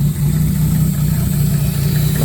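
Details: Ford Ranger with 1JZ-GTE turbo swap, running on gas (LPG) only since petrol would not start: low, uneven idle with a pulsing beat instead of a steady hum. Idle unstable, with exhaust valve clearances later found too tight and vacuum/MAP hose leaks.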